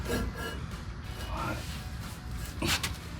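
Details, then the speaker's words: Rear drum brake on a 1991 to 2000 Jeep Wrangler TJ/YJ, new PowerStop OE drum and shoe kit during install, drum turned by hand: slow, uneven scraping rub. Shoes adjusted too tight, being backed off until barely rubbing. "too tight, so I'm gonna bring it back. Just want it barely rubbing. You can hear it rubbing."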